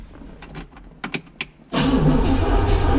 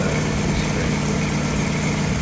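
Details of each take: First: 1963 Corvette Split Window not run since 1981, with spark confirmed and fuel just added: the starter cranks steadily at about four beats a second for nearly five seconds with no firing until fuel arrives; no start because fuel not yet delivered. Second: 1963 Corvette Split Window not run since 1981, after the distributor vacuum advance was sorted out: a steady, even idle with a smooth low beat and no misses or stumbles; normal idle.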